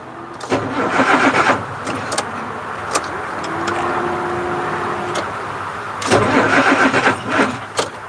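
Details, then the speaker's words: 1986 Ford CF7000 5-ton rollback, Brazil Ford 6.6 L diesel, warm: short bursts of sluggish, dragging cranking that die away without catching; slow cranking, owner thinks the batteries (around 2017) are shorting or old. "So I think the batteries are shorting, or they're old."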